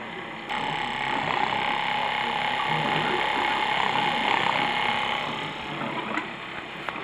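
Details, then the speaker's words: Flojet LF-12 water pump on 9 V 1 A (may run quicker on 12 V), tank emptied: steady buzzing pump note with a fast rattle, about 220 per minute, keeps running because it can't build pressure to shut off; pump running dry, not cutting off. "okay so when it runs out of water obviously it can't build up enough pressure to turn itself off so we"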